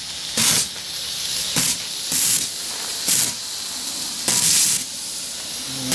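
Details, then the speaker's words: Steam engine boiler at about 120–125 psi: the pop-off (safety) valve lifts, with sharp hissing steam bursts about every second that lengthen toward full venting; normal release at set pressure. "okay I've got things going here uh it's up to just about 125 120 maybe and you can see the pop off valve just starting over there so it doesn't after a while it just starts going full"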